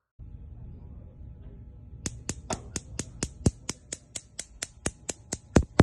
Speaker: when you light a burner you will hear a clicking noise from the electric spark igniter all of the igniters for the surface burners are connected so when one igniter sparks they all spark